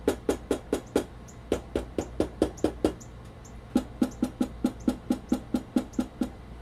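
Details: Stock, unmodified Sony PS-X800 linear-tracking turntable, all screws tight, plinth tapped and recorded on camera built-in mics: even sharp taps about twice a second, each with a hollow rattly ring; poorly damped stock plinth resonates.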